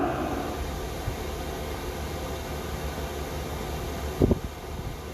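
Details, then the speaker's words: 5 kW Chinese diesel heater installed in a camper trailer, at temperature (outlet about 155–260 °C, exhaust tip about 50 °C): soft steady fan rush with faint fuel pump ticks, no surging; running quietly and normally. "ever once you're up to temperature it takes long nice and quietly in the background"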